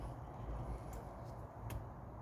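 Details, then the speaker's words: 1992 Classic Mini, offside (driver's side) rear wheel raised and spun by hand: low, gritty constant rumble; rear wheel bearings gone dry and worn out, no play felt, to be replaced. "So what's happened there is the bearings have gone dry and they've just worn out basically."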